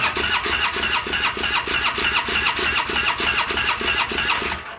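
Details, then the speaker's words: 2009 Polaris Sportsman 800, sat about six months with dry fuel system after pump fault: fast even starter churning about three turns a second for five seconds, given throttle, never catching; needs more fuel pressure. "let's try it again let's try needs more pressure i had to give it some throttle here we'll see shouldn't have to"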